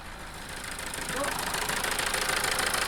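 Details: Toyota 2.2 diesel idling with uneven clatter, about three knocks a second swelling and wavering, plus loss of power; faulty injector, fixed by replacing it.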